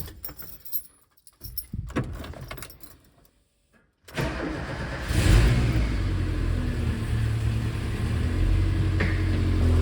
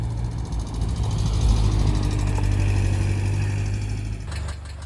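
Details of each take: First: Subaru EJ boxer engine in a VW Syncro Doka conversion, after replacing bad hydraulic lifters and fresh oil: cold start settling to a smooth, even idle; slight remaining lifter noise expected to vanish when warm. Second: Subaru EJ engine in a VW Syncro Doka conversion, close up at operating temperature: faint light ticking over the idle rumble from bad hydraulic lifters, to be replaced.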